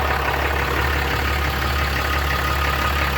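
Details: Diesel engine idling after an oil and fuel filter change: a steady, even idle with a low constant drone and no knocks or misses, and no leaks at the oil filter canister or drain bolt. Normal idle.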